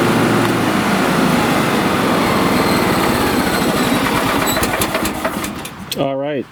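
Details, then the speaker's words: John Deere riding lawn tractor after replacing its 7-year-old (2018) battery, which had too little charge to engage the electric PTO clutch: engine catches and settles into a steady even chug, about four beats a second, no misses or grinding, deck engaged; normal start and run. "So, I'll start it up with the new battery, and I am 99% sure that everything will work, including the deck."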